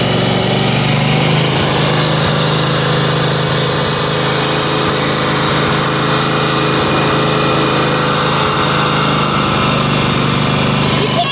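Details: Weed Eater garden tractor, Tecumseh TVT691 two-cylinder, just refreshed with new oil and filter, warmed up on gas: smooth, fast, even buzz holding steady at high speed with no misses, rattles or knocks; healthy running engine.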